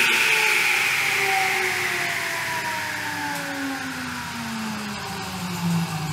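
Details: Table saw motor after tightening a loose switch screw, since the switch was the suspected fault. A high, clean whine winds down smoothly with no grinding or chatter, and the motor sounds normal.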